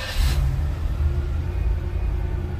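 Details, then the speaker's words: 1994 Cadillac DeVille 4.9 with 60,719 miles, after fuel pump replacement: a brief start-up rush, then a low, steady, even idle with no knocks or ticks; the new pump is barely audible. "it she running 60,000 719 miles on it still a baby she old girl but if she's running"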